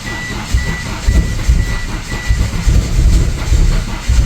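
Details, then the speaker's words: 1996 Eagle Talon DSM 420A engine, sat a year and a half on stale fuel, before rebuild; irregular low thumps and stumbling firing with a repeating chime over it, running rough; owner suspects debris on a piston or rod bearing. "I'll fire it up right now so you can hear it it sounds pretty rough pretty rough I'm thinking either something dropped on top of a piston or rod bearing I don't know"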